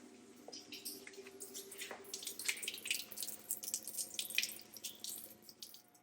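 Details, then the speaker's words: Panoramic RV being winterized, yellow black-tank drain valve opened to vertical: a continuous splashing trickle of water running out beneath the vehicle; normal draining. "on va donc ouvrir cette valve là en mode verticale et automatiquement on entend l'eau s'écouler en dessous du trou noir"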